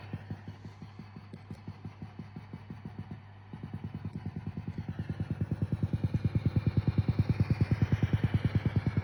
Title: Fender DRRi 65Vibrato Channel Ticking noise